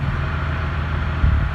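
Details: 2017 Ram 2500 Cummins diesel, G56 manual with Valair quiet dual disc clutch, stock ATF+4 before Delvac 50 swap, idle clutch out: low loose gearbox rattle, gear rollover noise.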